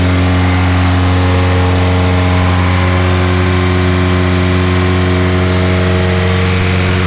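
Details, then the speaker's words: Budget K-swap engine after a new fuel pump was wired direct, tune not yet done: a steady fast idle that stays at elevated revs without dipping, so it is idling high; adjusting the throttle cable didn't help, and the owner suspects the cheap eBay fuel pressure regulator. "everything's fine the car is revving really high and i try to adjust the throttle cable and it's still not going down"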